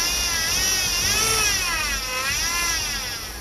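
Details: 2008 Chevy Impala 3.5 V6, noise persisting after power steering pump replacement, engine revved: high wavering whine rising and falling with revs; air bubbles seen in the fluid, so pump whine from aerated fluid.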